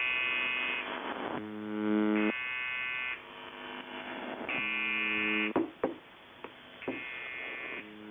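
A harsh, raspy electric buzz comes in repeated bursts of a second or two, rough-edged rather than clean; the buzzer is misbehaving, cause unclear.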